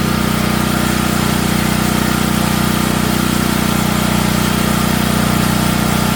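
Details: Natural-gas home standby generator started at the beginning of hurricane season. A steady, hard-working drone with a fast, even rattle over it as the frame shakes. The shipping brackets were never removed and caused heavy vibration, so they were taken off.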